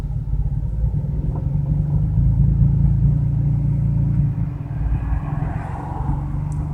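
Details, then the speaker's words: BMW 335i cold start the morning after spirited driving, after sitting hours: deep lumpy stumbling idle; possibly misfiring on cylinders 4, 5 and 6, rough-running limits exceeded, screeching on startup, heavy fuel use. "It's not firing on 4, 5 and 6, I think is what that is. It will eventually shut down cylinder 6, I think it is. Yeah, there's an engine fault. Cylinder 4's gone over the limits for rough running."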